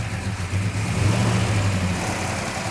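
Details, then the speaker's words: Freshly restored 1967 Hemi GTX convertible, first start outside, air cleaner off, oil pressure good; lumpy V8 idle with light fast metallic rattle over the exhaust beat, attributed to the rockers; carburetor mixture being adjusted. "okay rockers in them that's what all that rattling is yeah"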